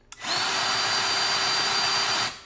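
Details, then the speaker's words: Milwaukee M18 grease gun; smooth steady motor hum with none of the normal tick-tick pumping clicks, spinning dry without pumping grease on an empty cartridge, which needs changing. "hear the motor spinning but you don't normally there's like a tick tick tick tick tick tick tick where it's pumping the grease out so it's not doing that it's you know not really pumping the grease out"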